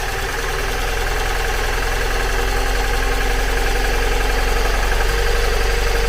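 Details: 2002 Mazda MX-5 Miata (NB), nearly 20 years old, lumpy uneven idle with irregular low thumps about every quarter second, misfire on two cylinders, coils ruled out, ECU fault suspected; front coil reconnected with no change; misfire at idle.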